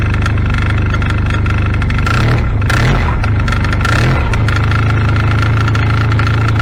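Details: 2016 Arctic Cat ZR5000 snowmobile at about 30-40°F, before Team Industries Rapid Response drive clutch repair: steady low drone with a loose, uneven clatter at idle; rattle from the primary clutch.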